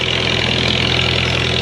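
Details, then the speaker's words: 1939 Farmall H tractor engine after tune-up work (plugs, timing redone, new gas), previously missing: steady even idle, no misses or stumbles; running good, owner suspects bad wires caused it. "but running good go get the arrow I'm guessing it must have been the wires when I got shocked I that was my suspicion"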